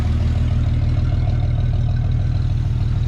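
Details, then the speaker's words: Chevy S10 Blazer carbureted engine idling after new spark plugs and wires, carb cleaned, fuel system cleaner added, timing being checked: steady, even low rumble, no misses or stumbles; running much better, possibly just the plugs and wires. "It might have been just the dang on spark plugs and the wires and all that kind of stuff, because it seems to be running so much"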